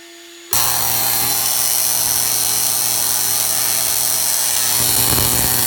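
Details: Tesla coil spark gap firing: harsh, loud hissing crackle cuts in suddenly over a steady mains buzz, with breakout in the bottom of the five-gallon bucket; capacitor issues suspected.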